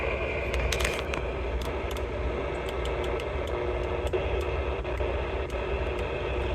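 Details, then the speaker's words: Pearce-Simpson CB radio after cleaning dirty switches and rewiring: steady receiver hiss with scattered crackles and scratchy pops; still slightly scratchy but working. "it's still a little scratchy I cleaned it up and she's ready to go old trim xl5 yep all right let's go on to another one see what else we can fix today"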